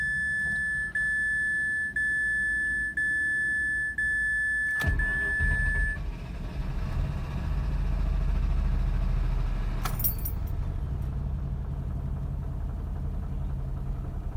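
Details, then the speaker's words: 2005 Mazda RX-8 Shinka automatic that stalls after starting, new plugs, wires and cheap ignition coils fitted: door chime, then crank and catch into a low uneven shaking idle; owner suspects fuel pump or injectors. "this baby is shaking i'll keep you guys posted"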